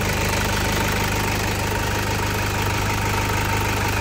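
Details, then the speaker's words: 2008 Toyota Fortuner diesel, now running after only a cheap part was replaced to cure the crank-no-start, instead of the pressure pump a shop blamed. Settles into an even idle with steady clatter, no misses or stumbles; healthy. "Ayan dito lang yung pinalitan natin. Umandar na siya. Ligtas na yung 42,000."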